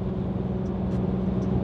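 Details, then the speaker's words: Car cruising on Toyo R888R performance tires: low steady drone and deep hum, sounding like rubbing but with no knocks or scraping; just the tires' loud road noise. Normal tire road hum. "they're ridiculously loud i mean it sounds like something's rubbing or humming but it's not the most annoying thing in the world"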